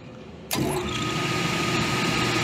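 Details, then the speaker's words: Refrigeration unit blower belt, probably around 30-year-old system, after tightening the belt slightly: blower starts with a thump and settles into an even whoosh and steady hum with no chirp or squawk; belt running quietly. "let's tighten just a touch that's a lot better let's see if we get a squawk"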